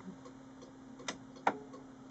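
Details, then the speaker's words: Samsung CLX-2160 printer, switched on: irregular light ticks with two sharper clicks over faint hum, only a blinking LED; it never starts up. "A blink. A little bit of LED showing up. Okay. Needs a bit of investigation this."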